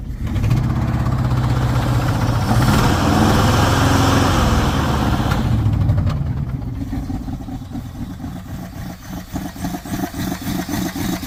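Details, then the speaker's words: 1979 Dodge truck that sat over 10 years, finally idling with the alternator charging: lumpy, galloping idle with a steady uneven pulse, a miss audible at the exhaust and a light tick. One dead cylinder; owner believes the engine is unhealthy inside. "You hear a gallop and a miss. You hear the exhaust, you can hear the miss. It's pretty bad. So it's got a dead hole."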